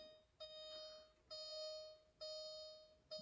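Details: 2001 Mercedes-Benz G500 Europa in park, key fob not working: a single chime repeats about once a second on key turn with no cranking; owner suspects failed K40 relay, not confirmed; no-start warning chime.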